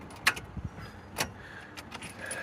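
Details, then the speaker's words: 2016 Takeuchi TL8 with Kubota V3307 diesel, after a small engine fire: keys rattle, one sharp solenoid click, no crank; starter is bad and was replaced. "Doesn't turn over. So, I need to get in there and get that starter out."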